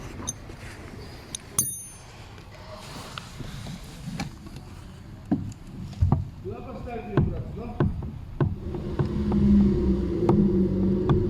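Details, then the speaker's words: Lada Priora: sharp hollow knocks about once a second heard from the cabin while the steering tie rod is moved, a steering rack knock; fixed by tightening the rack adjuster about a quarter turn, after which the knock was gone. "сегодня у нас приора со стуком в рулевой рейке обратите внимание как она стучит"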